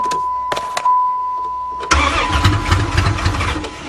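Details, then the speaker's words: Van previously hydrolocked from water, intake manifold removed to drain water, first start attempt: warning chime, brief starter whir, engine catches right away and settles to an even steady idle; normal start. "oh she wants to live yes it's alive it's alive you got to love your floppy po"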